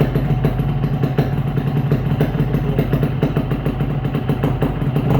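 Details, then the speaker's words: Yamaha RX-King two-stroke after replacing noisy NPP piston with a Riko piston: crisp crackle through short part-throttle blips, even firing with no rattle from the barrel; engine noise cured. "Dia halus ya bosku. Jadi untuk suaranya juga dia halus, tiga sedikit tadi halus juga ya."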